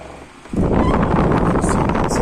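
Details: Household fan, repaired with a new propeller after it had wobbled and tried to walk off its spot, switches on into a steady, even rush of air with no knocking or rattle.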